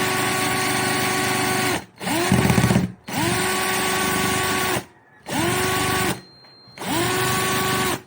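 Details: Nissan Sentra: five separate cranking bursts of one to two seconds, each with a steady starter whine, and the engine never fires; crank, no start.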